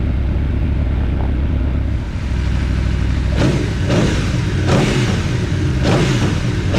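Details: Aprilia Tuono V4 free-revving after valve clearance service and fresh oil: quick blips rising and falling cleanly, crisp response, no ticking, knocking or rattles; no funny noises, initial chain clatter gone once oil pressure built.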